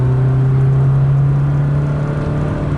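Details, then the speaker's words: 2006 Subaru Baja, 4EAT automatic, test drive after replacing valve body solenoids, new pan gasket and fluid to fix a downshift clunk: initial acceleration with a steady engine drone building evenly, no clunk, slip or flare; smooth as always. "Okay, here's the initial acceleration. And that never was a problem, but it's still smooth."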